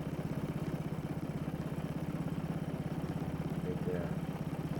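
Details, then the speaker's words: Small engine just after carburetor cleaning and reassembly, before governor adjustment: steady, quick putter about 200 beats a minute, even but too fast for idle; idle speed screw to be turned down about half a turn. "i need to slow this engine down so i'm going to put my screwdriver on the idle speed screw turn it down about a half a turn"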